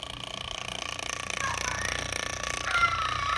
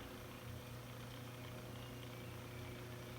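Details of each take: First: 1915 General Electric fan motor started through a choke coil and switch: hum with a loose, purring rattle, about three knocks a second, from worn sleeve bearings; to be disassembled and fitted with new machined bearings. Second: 1915 GE fan motor after new front and rear bearings, temporarily wired with alligator clips: low steady smooth hum with no grinding or rattle. Normal motor hum after repair.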